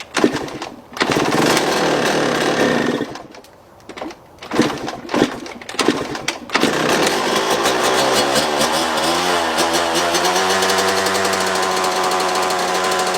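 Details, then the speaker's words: Two-stroke dirt bike filled with diesel instead of petrol: uneven surging revs that die off mid-clip, then a rough uneven idle, smoking heavily and not staying running. "It's definitely smoking a lot more than normal, but it's running on it. It's just not staying running."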